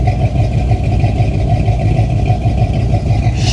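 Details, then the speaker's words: 1979 GMC Caballero V8 idling with a low, lumpy but even beat of about three pulses a second and heavy bass rumble, described as sounding mean; normal V8 idle. "It's more than just the windshield, but man, this thing just sounds so mean."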